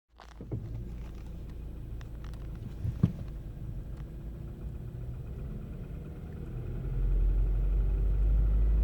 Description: Nissan Versa 2012 makes noise when accelerating. The noise stop as soon as the gas pedal releases.